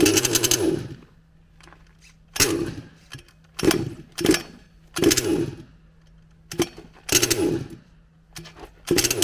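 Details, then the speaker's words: HPI Savage Octane petrol RC car two-stroke fires in one-second bursts and then dies, again and again. The owner suspects ignition rather than fuel or carburetion, possibly the coil with its already-kinked wires; unconfirmed. "yeah def definitely sounds like an ignition problem not a fueling or carburation problem just a way that it runs and it just stops as if the spark stops"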